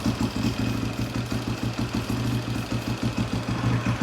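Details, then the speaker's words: Husaberg 350 dirt bike after sealing the carb-to-airbox boot: steady single-cylinder idle with an even beat, unchanged when carb cleaner sprayed around the boot; no air leak. "No changing the idle. So I think that boot is fixed. So that's a good sign."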